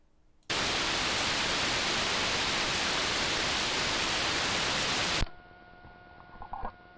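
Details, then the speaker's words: AD9851-based AM signal generator set to 30 MHz and received in GQRX: a loud steady static hiss on the carrier, then near silence. This background noise appears at multiples of 3 MHz and not at 29 MHz. "Portanto, uma coisa que eu notei é que nos 30 MHz aparece um ruído de fundo. Esse ruído de fundo aparece com frequências que tenham múltiplos de 3 MHz."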